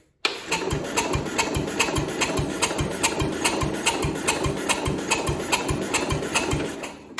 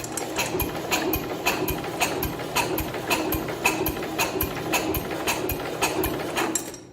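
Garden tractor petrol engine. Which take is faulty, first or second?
first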